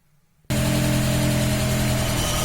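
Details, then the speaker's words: VAZ classic (2101-2107) rear axle shaft bearing on a raised car with wheels spinning in gear: steady low hum with faint even tone, heard at that side of the axle; persisted after the differential was replaced, easily mistaken for differential hum. "Такой гул вот издается, надеюсь, слышно. Это от барабана одно, а вот и вот тут хорошо, когда руку прилаживаешь, главное на кардан не намотаться."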